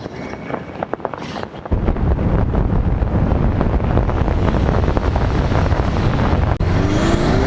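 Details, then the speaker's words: Subaru STI turbo with aftermarket Cobb cone intake and stock recirculating valve, driving: loud engine and road roar under load, brief dip at the shift with a rising whoosh; normal bypass-valve noise through the open intake. "so on the fiesta with the stock box a little bit of sound is okay at low speed"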